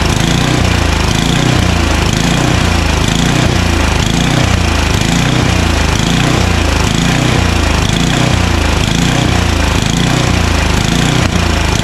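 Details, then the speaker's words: Craftsman 29" snowblower, 9HP Tecumseh engine, long unused, started on choke at full throttle: speed rises and falls about once a second in a steady hunting cycle; suspected dirty carburetor. "uh it surges because the carburetor is probably dirty"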